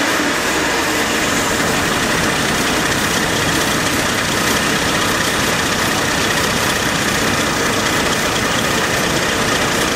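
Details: AMC Eagle carbureted engine after nutter bypass, vac advance moved to manifold vacuum: steady, busy fast idle stuck high. Owner suspects choke not releasing (electric choke possibly on backwards) or a vacuum/intake manifold leak; any throttle goes full throttle.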